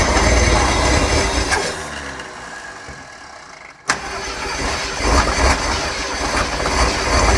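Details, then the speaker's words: 1968 Ford Torino with a seized engine, bought after long storage, first start via carburetor: catches, sags near stall, pops back with a bang, then runs lumpy; still needs work, jets possibly not working. "She ran. She ran. Counting that as running. Obviously we still got work to do"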